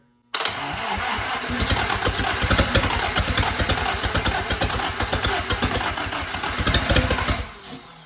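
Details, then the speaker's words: 1943 Willys Go Devil Jeep engine after correcting swapped plug wires 3 and 2 (firing order 1-3-4-2) and adjusting timing: rapid cranking with sharp pops, tries to catch but won't run; battery dying. "Closer and closer. Got a little bit of starter grind there, so that means it was trying to go."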